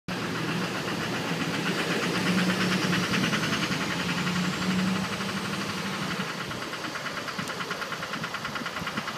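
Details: 2006 Duramax LLY diesel at idle: steady ticking knock about three per second riding over the clatter; engine knock suspected, source not pinned down.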